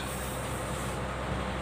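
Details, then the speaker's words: Exhaust fan that was stuck and only humming, after repair: steady even whoosh with low constant hum, no rubbing or stalling; spins up and runs normally. "Hai sudah berfungsi kembali Hai sudah berjalan kembali Hai nah Hai normal kembali teman-teman"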